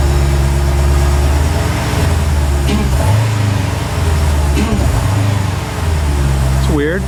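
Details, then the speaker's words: Rebuilt wrecked 2021 Dodge Durango SRT Hellcat with a supercharger, new belts and a 180-degree thermostat, on first start-up. A deep steady idle sags briefly three times, then recovers; idle hesitation, cause unknown. "Kind of has a hesitation."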